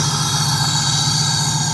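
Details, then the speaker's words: 1997 Pontiac Trans Am LT1 V8 after replacing original PCV valve, previously rough idle and cutting out on throttle: steady even idle with low smooth burble, no stumbles; normal idle. "I've got a way smoother idle. You can probably hear how smooth it is."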